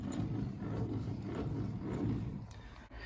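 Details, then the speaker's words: Triumph Spitfire 1500 rear wheel bearing, hub turned slowly by hand: a low, gritty rumbling roll that surges with each push. It feels and sounds rough; the bearings and universal joint are being replaced. "It feels rough, doesn't it? It feels rough and it sounds rough, yeah?"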